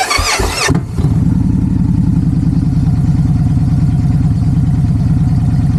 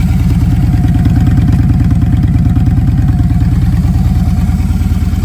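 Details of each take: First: Victory Judge V-twin motorcycle with a 2-into-1 exhaust, just fired up: a short crank, it catches, then settles straight into a steady loping idle of about three beats a second with a nice note; normal start and idle. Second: Victory Judge V-twin with a 2-into-1 exhaust at idle: a deep, lumpy, loping beat of about three pulses a second that shakes like a Harley, which is unusual for a Victory; the owner suspects an unknown modification.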